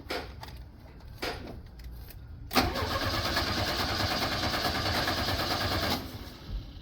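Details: 1983 Chevrolet Chevette needing mechanical work, cold start with pedal pumping: several short cranking bursts, then the engine catches and runs roughly for a few seconds before dying away. Hard starting and stalling.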